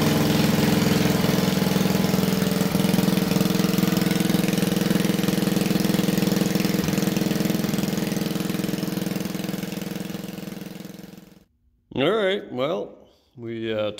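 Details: Old wood splitter engine, unrun for over 40 years; holds a steady, even chug about eleven seconds, then shuts off cleanly; governs properly; normal running.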